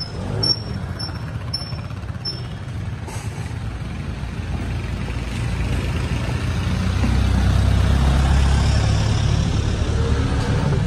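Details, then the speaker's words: Honda SH scooter after clutch rebuild, replacing weak, juddering stock clutch: pulls away with a low, even drone rising smoothly with speed, revving freely, no rattles or judder. "anh em rất là im nha Máy là mở tua nhẹ nhàng ha"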